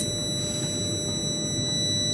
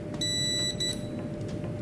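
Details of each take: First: UPS with no power output, before repair: steady high-pitched beep holds unbroken about three seconds then cuts off; continuous fault alarm, typically from a failed MOSFET or battery not charging. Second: UPS after repair (faulty resistor replaced), green light on instead of red: two short, clean high beeps about half a second apart over a faint hum as the unit switches; normal switch-over chirp.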